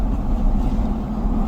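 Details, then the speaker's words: 2002 Chevy Silverado (lifted) after a front wheel hub replacement, test drive: steady road and engine drone, no crunching or grinding; the new hub sounds healthy, though alignment is noticeably off. "ready if you hear anything let me know okay sound good over there boy does it sound good sounds good to"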